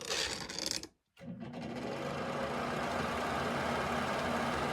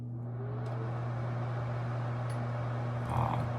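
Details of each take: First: Worn bathroom exhaust fan screwed into a floor joist: loud rough hum with buzzing rattle heard through the house, noisy for months or years; motor and fan wheel replaced. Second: Bathroom exhaust fan after replacing its noisy motor and fan wheel: steady low even hum with soft airy whir, much quieter than before. Finding: normal quiet fan operation.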